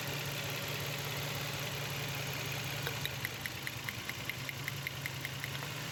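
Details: Nissan Xtrail with missing, vibration and poor pickup: uneven idle with light irregular tick and shaky rhythm; coils checked, intake manifold removed, two injectors found clogged and not working, being replaced.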